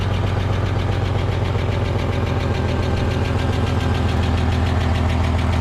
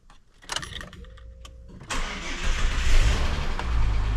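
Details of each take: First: EF Ford Fairmont, cold idle before repair, microphone near the muffler: tinny, uneven rattle over the exhaust beat; owner suspects loose baffles in the centre-section muffler, which has holes, after clamping catalytic converter heat shields didn't fix it. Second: EF Ford Fairmont after replacing rattling centre-section mufflers: short crank, fires and settles to deep, even low rumble with no rasp or blowing; quiet, sound exhaust after repair.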